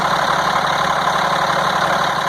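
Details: 1998 GMC C8500 with Cat 3116E diesel, valve cover off, no load, around 900 rpm after working on a possibly stuck or debris-plugged actuator piston: steady, even idle with constant clatter, no knock or hunting; fix not yet confirmed.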